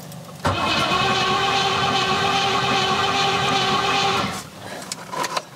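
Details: Rover P6 fitted with 4.6 V8, fuel pressure and spark present, timing in doubt: starter churns steadily about four seconds at a couple of turns per second with faint cough, never catches; cranks but won't start.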